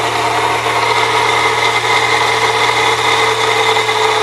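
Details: 1998 Saturn SL2 DOHC engine at idle: steady rough grinding hiss, no rhythm or pitch change, not worse with A/C on, gone when run without belt; idler and tensioner pulleys replaced without fixing it; belt drive grinding noise.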